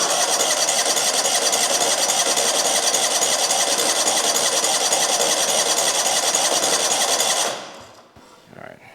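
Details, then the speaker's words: Abandoned 2003 Exmark zero-turn mower, unrun for years, no gauges: cranked without ether to build oil pressure after a hard clanking (owner suspects ether), steady fast cranking about three and a half turns a second, never catches. "let's see if we can just crank it over a little bit she wants to go"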